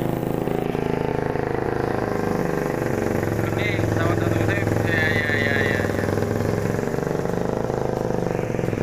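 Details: Suzuki Satria FU two-stroke, first start after replacing the cylinder block and piston set over rough noise, smoke and hard starting, exhaust refitted: an even buzzing note holds steady at high idle with no rattle or knock, running smoothly.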